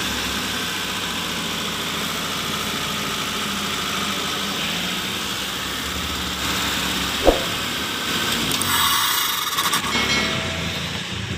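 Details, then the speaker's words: Mitsubishi Colt 120 SS pickup, idle above 2,000 rpm and oscillating: fast idle whose pitch drifts up and down without settling; suspected idle speed control stepper motor or throttle body fault, not yet confirmed. High hunting idle. "Oke, untuk RPM-nya, nilainya lebih dari 2.000, ya, RPM-nya lebih dari 2.000 dan berosilasi."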